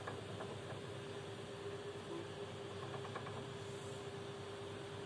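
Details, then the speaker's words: Combi boiler with light irregular ticking and knocking over steady hum and water hiss; service found the cause inside the boiler was a failed part in the 3-way diverter valve. "servis geldikten sonra bu sesin kaynağını kombin kombin içerisinde şu kısımda arkadaşlar 3 yolluğu valf diye bir cihazın içerisinde bir parça var"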